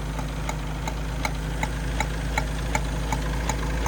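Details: Mercury Capri Turbo RS, turbo four-cylinder with 4-speed, first run in 23 years: sharp, even ticks at about 160 a minute over a rough, intermittently breaking-up idle with vacuum leaks and smoke; the exhaust manifold is cracked.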